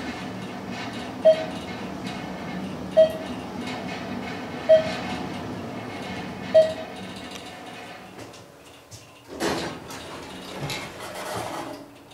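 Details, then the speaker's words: Ride in the Church Ave. Garage elevator in Roanoke, VA, after the Thyssenkrupp modernization with a Hollister-Whitney drive system. A quiet, even hum with four chimes about two seconds apart, then door movement: a smooth, normal, healthy ride. "but here we go ride on the new elevator the diesel ducey elevator the church avenue garage let's listen to it"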